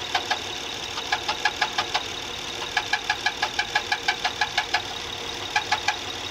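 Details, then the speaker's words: "855" machine: sharp metallic knocks about three a second in bursts over a steady diesel run, coming from somewhere low down and apparently from something rotating; a roller is suspected, cover to be opened; cause unknown. "Нет это возможно не который ролик этот А что-то крутящееся че го звук где-то снизу идёт отдаёт его шика"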